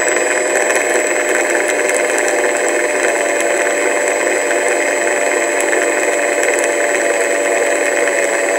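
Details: Sky Mule RC plane stock electric motor, never flown: high steady whine with gritty scratching and uneven crackle, cutting out at times; nuts removed to rule them out, confirmed a failed motor bearing; replacement motor coming.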